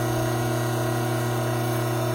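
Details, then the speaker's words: Hydraulic pump running under normal conditions before any inlet restriction, with inlet vacuum of 3 inHg and system pressure around 310 psi; loud steady hum with an even whine, no crackle or rattle, no cavitation. "Prior to creating an inlet restriction on this pump, let's get a few background readings while the pump is operating under normal working conditions."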